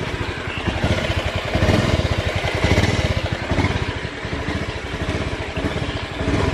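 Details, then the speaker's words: Honda Beat FI scooter won't hold idle: uneven firing pulses stumbling and surging, idle rising and falling, nearly stalling or dying when throttle is opened slightly; sputtering with cause unconfirmed, mechanic suspects a possible fuel pump problem. "Kembali lagi bersama saya kasus Jepang saya ini atau debit motornya brebet brebet ini enggak mau langsam juga"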